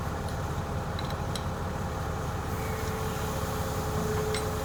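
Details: Yale forklift with propane Continental flathead four-cylinder, first run after sitting since 2014: steady, even low rumble ticking over with no knocks or misses; healthy idle.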